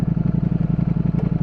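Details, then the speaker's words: New 2022 Ducati Streetfighter V4S, stock exhaust, around 70°F, stopped in neutral; even lumpy deep idle pulsing about ten beats a second with rear two cylinders shut off, normal deactivation, nothing knocking. "but a neutral or stopped it actually shuts off the two rear cylinders and you could actually hear it"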